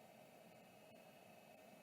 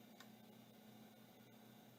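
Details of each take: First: Vintage Samsung SHD-240N motor-actuated hard drive, parked, powered up: faint steady whir with soft constant high tone, no grinding or ticking; spindle bearings sound smooth and healthy. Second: Samsung SHD-30560A (Apollo 5) hard drive on power-up: sharp ticks repeating irregularly about once a second over faint steady whir; drive seems stuck retrying and not working, cause suspected, not confirmed.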